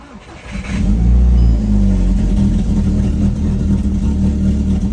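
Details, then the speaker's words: 2006–2009 Mk5 VW GTI just after downpipe install, turbo bad and smoking. Starts and settles into a slightly uneven, lumpy idle with a wavering beat. Still idles rough, slightly better later; cause not pinned down. "Still idles like shit. I did this so I can transport the car, so without getting smoked out because the turbo's bad."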